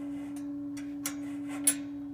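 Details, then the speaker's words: Regency H2100 hearth stove running hot with glowing coals: a pure, steady high whistle with faint clicks as air rushes through the nearly closed air intake. Opening the intake stops it. "and then you close uh the air intake and it's trying to rush the way it's trying to rush the air in there or however that that air flow works it causes a whistle"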